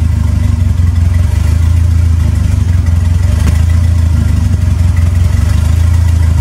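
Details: Smokey's Lima with a swapped 2.3L turbo four on PIMPX batch-fire engine management, warming up after first start for a base timing check: deep steady rumble, even firing, light revs, no knock or tick; normal running.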